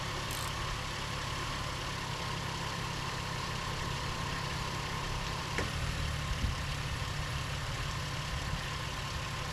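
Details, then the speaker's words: 2007 Ford Mustang after alternator and serpentine belt replacement, idling with the negative battery cable removed: a smooth, steady idle with no stumble or stall, showing the alternator now works. "Nice. All right, nice, and she's going again."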